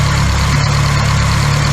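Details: Classic Austin Mini small four-cylinder idling during coolant fill after first start in 9 months; steady unbroken low idle, no knocks or misses; radiator drips at the bottom, owner suspects he damaged it straightening fins and wants a new one.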